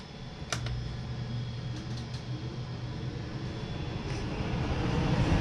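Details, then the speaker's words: 2005 Super C motor home rooftop RV A/C after owner's repair with an eight-dollar part, heard from inside cycling low fan, high fan, low cool, high cool; steady hum and even airflow, no rattles or squeal; cold air, normal fan operation. "okay that is what they call low fan that's high fan that's low cool and high cool so it is a complete success"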